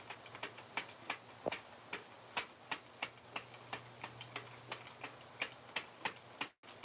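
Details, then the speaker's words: Sentro hand-crank knitting machine: sharp clicks, about three a second, following the crank. Yarn slightly too thick for the machine pops off the needles as stitches form. "now what see it's wanting to pop off of there and that's why it's giving me troubles this joy maybe just a little thick for this machine okay that's what makes the stitch and that's the popping noise is that yarn coming off of that needle"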